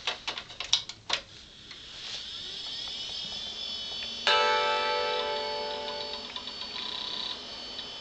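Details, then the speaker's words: Brand-new-in-box Macintosh Performa 6116CD, dead on arrival: hard drive clicks, startup chime rings, then it hangs with no video; owner unsure whether video adapter or CPU is bad. "sounds like it's booting up or at least starting to and then it just stops and hangs"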